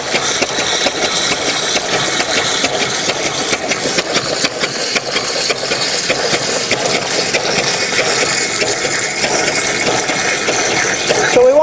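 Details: StreetPrint Rapid Sprayer II (RS2) pump flushing clean water with recirculation line pulled out, turned down to save wear: steady rushing air hiss with a faint, uneven slow tick underneath; normal slow running.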